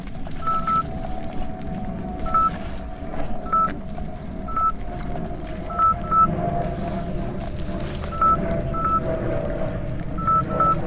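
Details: 84 V Nikola electric unicycle on its first tough steep hill: short high beeps, some paired, about every second over wind and motor noise, the 90 A current alarm. MOSFETs later blew.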